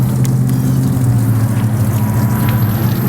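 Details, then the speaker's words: 50hp Force outboard on a Bayliner after service (lower unit oil, impeller, spark plugs, fuel filter, new starter, greased bearings): starts right up, steady low even hum with no misses, knocks or rattles; normal idle. "starts right up I'm surprised check this out runs really nice here"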